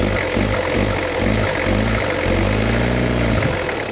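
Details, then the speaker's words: 1991 Toyota Cresta JDM import, sat 10 years, after fixing slipping belts (wrong-size air-con belt in the kit, alternator re-tensioned): steady, even engine note that revs smoothly with no squeal or chirp. Normal running. "No more slipping belts. That was an absolute headache. Um what it ended up being was incorrect belt size in the kit. and a little bit of adjustment."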